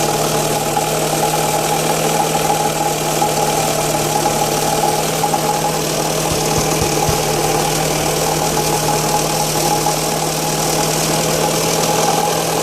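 Steady cold idle with a fast, light ticking knock riding over the engine note; something's not right, though the cause isn't obvious.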